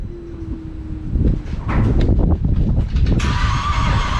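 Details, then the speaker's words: 2010 Holden Commodore VE SV6 3.6 SIDI, first start after fuel injector replacement: engine cranks with uneven rough rhythm and won't start; crank no-start traced to a failed ignition coil. "all right well we uh seem to have some other issue because uh they don't want to start"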